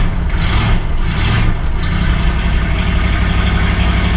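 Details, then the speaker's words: 1964 Ford Galaxie 500 V8 after sitting 15 years, new condenser and points set: deep even rumble settling into steady idle, no ticking or knocking; fired right up, running smoothly. "this thing last ran we got the condenser in if anything just fired right up pretty incredible actually"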